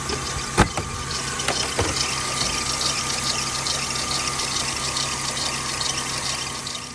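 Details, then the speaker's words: Mercedes W204 at idle: steady high squeal from the alternator/serpentine belt that gets louder with more throttle. Rollers were already replaced and the belt twice, and silicone spray stops it temporarily; owner suspects the belt tensioner and replaces it. "Сейчас я вам покажу как это сейчас у меня скрипит"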